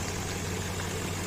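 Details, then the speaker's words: Infiniti QX56, warmed up, after replacing the accessory belt tensioner: quiet steady idle, metallic knocking gone; slight rustle is the gas (LPG) injectors. Failing tensioner had caused a scary metallic knock and intermittent A/C cooling. "Ну всё звуков нету а он такой металлический страшный звук был конечно сразу работают газовые форсунки поэтому шелестит"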